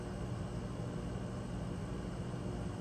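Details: Rheem generation five hybrid heat pump water heater, heat pump on top: steady, even low hum from compressor and fan, no knocks, rattles or surging; running normally while the run capacitor tests 315, within 10–20 percent spec.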